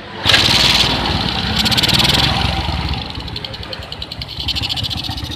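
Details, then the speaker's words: Suzuki Smash motorcycle after ignition repair, with a stronger spark test: the engine starts quickly and settles into a steady idle with a soft even beat; previously it ran rough and died on throttle. "Oke, teman-teman, langsamnya sudah bagus. Kita coba gas."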